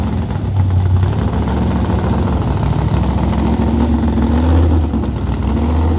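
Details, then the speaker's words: Fully assembled race car after bodywork, carbureted engine that sat for months: revs unevenly and hesitates as the throttle opens, falling flat; very bad lean stumble at the primary-to-secondary carburetor transition. "The um transition between primary and secondary, if you understand carburetors, uh it was a very bad lean stumble."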